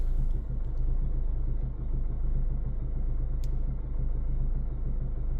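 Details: 2014 Hyundai ix35 2.0 184hp diesel automatic at 166,000 km, warm after half an hour of driving: a dull low knock about once a second at a standstill and low revs up to about 1500 rpm. Heard from inside the car; cause unknown.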